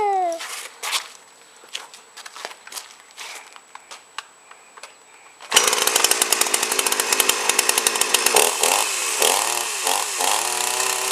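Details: 52cc GIO chainsaw (bar near 20in), first start: handling noise, then it fires and revs high with a slightly uneven burbling edge at full throttle. Runs well but owner suspects rich top end, fuel likely mixed rich.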